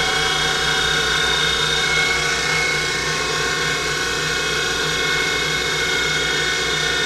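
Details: Denford Triac CNC converted to Mach 3 with a Panasonic 1.5 kW servo spindle motor: the spindle whine climbs with speed with a rough gritty edge, and the upper bearing support gets very hot; bearings suspected, not confirmed.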